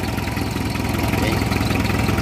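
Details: Hyundai diesel after replacing the starter solenoid switch that caused hard starting, with battery and glow plugs checked okay; steady, even diesel clatter at idle with no misses, stumbles or odd knocks; engine idling normally.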